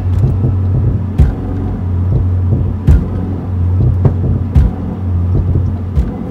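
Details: Mazda Mazdaspeed3, recording made before engine mount replacement: a steady low engine drone with a sharp dull clunk roughly every 1.5 seconds as throttle load comes on and off. Worn engine mounts.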